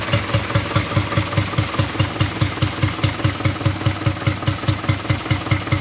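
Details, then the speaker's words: Rebuilt Land Rover Series III diesel, first start after rebuild with adjusted injector pump timing: even regular thumping about two and a half beats a second, no knocks or misses, not smoking much; sounds good, normal diesel idle. "well success stage would think it's running good sound sounds good running stop smoking outrageously that's nice"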